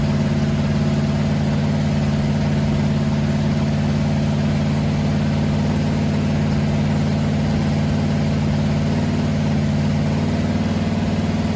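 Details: Freshly built 500 stroker big-block Mopar on first start, timing advanced after a carburetor backfire; oil pressure about 80-85: deep, even V8 burble at steady fast idle, no popping back through the carb or misfires; sounds healthy.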